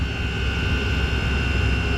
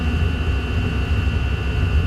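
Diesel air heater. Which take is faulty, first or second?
second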